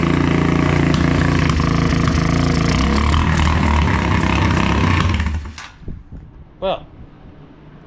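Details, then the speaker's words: Motorcycle after tapping the carburetor needle and seat to get fuel flowing: small engine buzzing unevenly at high revs while held open, then dies. Runs only with throttle held open; the carburetor fuel-air mixture may need adjusting. "seems as though we're only getting enough fuel for when I hold the throttle open"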